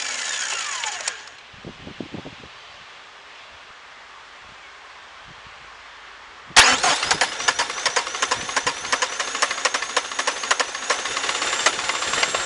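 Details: Worn-out PSA 2.1 turbo diesel with leaking Lucas injection pump, started after petrol sprayed into intake: quiet gap, then it catches into a hard, uneven clatter about four knocks a second; knocking, cause not confirmed.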